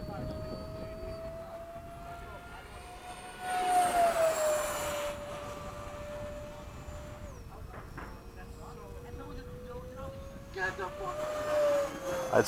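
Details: E-flite 80mm F-4 ducted-fan jet with a 2100kv setup on a fast flight pass: high fan whine rising and falling in pitch with a buzzy edge, fan about 85% balanced after its earlier balancing came undone.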